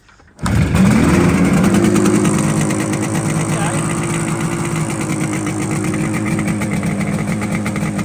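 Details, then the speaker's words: Newly bought Yamaha RD400 two-stroke twin, starting after nearly catching on choke: it fires up, revs once, then settles into a crisp, even ring-ding idle with both cylinders pulling. Right cylinder smokes, showing oil; left shows little smoke, and its oil supply is unchecked. Normal running. "That's what an RD should sound like."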